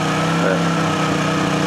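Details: Honda generator after a choke cold start: even, steady drone with a constant low beat and no misses, knocks or hunting; normal idle.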